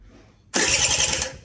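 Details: 2013 Mobylette Fox moped with electric starter: starter whirs with quick low pulses as it turns over but never fires; cranks without starting. Spark plug found full of oil; fuel supply checked next.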